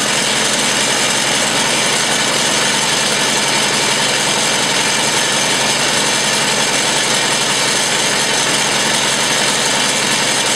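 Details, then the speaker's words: Old Massey Ferguson MF 50 tractor after a -8°C cold start and carb adjustment (screw set at one full turn) to reduce fuel smell: steady, even idle with no misses or knocks; running really good, sounds healthy. "so you can hear it it's running really good sounds nice doesn't smell too bad"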